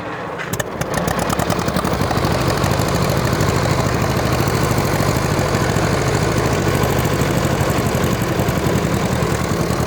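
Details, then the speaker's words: 1940 Minneapolis-Moline RTU tractor, started in third gear with the cut-off switch set correctly: catches within a second, then a steady, even low chug, no misses; normal start and running. "how easy it starts with the uh with the cut off switch in the right position."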